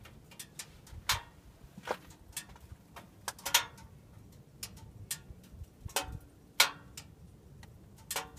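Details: Subaru just after the engine is switched off: sharp, irregular metallic ticks about every second in a quiet space. Ticking after shutdown; owner wonders whether it is just the engine cooling.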